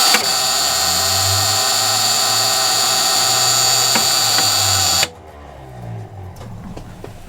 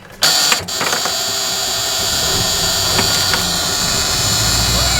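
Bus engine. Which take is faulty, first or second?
first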